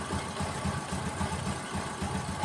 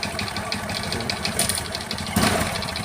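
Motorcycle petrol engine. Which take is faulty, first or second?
second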